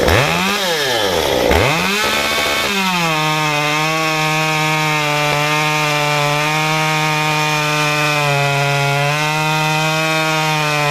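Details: Stihl 193T climbing saw with muffler mod, ~8–9° timing advance, 93 non-E fuel, 16-inch bar, PS3 .050 full-chisel chain, cutting a log: revs climb then hold a steady strong pitch through the cut without bogging; normal cutting under load.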